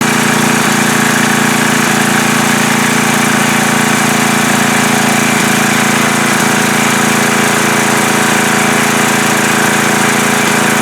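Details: Coleman Powermate MAXA 5000 ER generator after the new carburetor's needle was fitted to the old carburetor and the mixture leaned out: steady, even drone at governed speed, no hunting. Occasional clinking from behind the front cover, owner says not rod knock.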